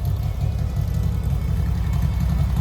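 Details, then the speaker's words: 1970 VW Westfalia air-cooled flat-four with new Weber 40 carburetors: deep, steady low rumble with an even beat, no knocks or rattles; 50 psi oil pressure, 4 psi fuel; healthy. "sounds really, really good. Those 40s are working really good."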